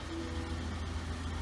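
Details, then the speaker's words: 1999 BMW 328i after fuel pump, battery and air intake hose replacement; steady even idle at 800–900 rpm, smooth low exhaust pulse, no taps or knocks, normal idle; some dash lights on. "but it sets and idles right at a perfect eight to nine hundred rpms where it's supposed to uh everything's good with that"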